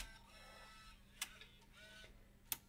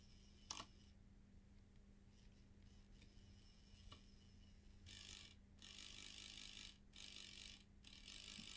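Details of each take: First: Bose 3-disc CD changer after repair, previously grinding and stuttering with stuck gear: quiet motor whir and two sharp clicks, no grinding; mechanism travels normally. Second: Bose 3-disc CD changer, small motor bench-powered at 4 volts with the unit open: a few quiet clicks, then harsh, stuttering grinding bursts from a sticking gear.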